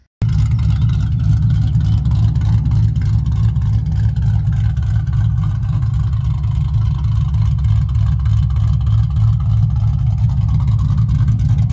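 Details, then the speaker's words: Newly installed 4.6 3V V8 on polyurethane motor mounts, first run after install: smooth, steady drone with no ticking, knocking or miss; slight driver-side exhaust leak noted, running normally. "Well, it's running. I skipped a lot of steps in the video, but running pretty good. I'm amazed at how smooth it is in the car with the polyurethane motor mounts."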